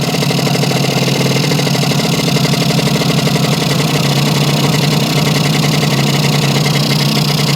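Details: Yamaha 100 Trailmaster (YL2C) two-stroke after an oil leak fix and reassembly, idle adjusted down: a steady, even low putter with no hunting; somewhat smoky. Normal idle.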